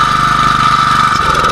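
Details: Robin 6.0 hp gasoline small engine running steadily with constant high hum and even firing, no misses or knocks, after a won't-start problem was fixed; running fine.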